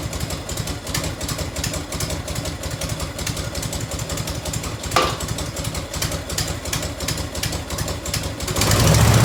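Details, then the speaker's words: 1990 Harley FLHTC Evo, cold V-twin idling on choke: loping beat with a sharp, fast tick on each pulse; exhaust leak at a crooked header clamp, to be loosened, retightened or shimmed. "so an exhaust light right there on that clamp like it's hot quick though oh my god burn my hand you can see the clamp is a little crooked"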